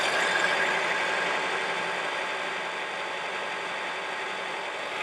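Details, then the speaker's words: 2004 Acura with 2.4 i-VTEC DOHC, 248,000 miles, check engine light and misfire codes P0301–P0304, suddenly shaking badly at idle: steady but loping uneven beat about four per second; dead-cylinder misfire. "is shaking pretty bad but the motor sounds amazing it sounds really really good we're hoping maybe it's just a bad sparkplug or bad coil"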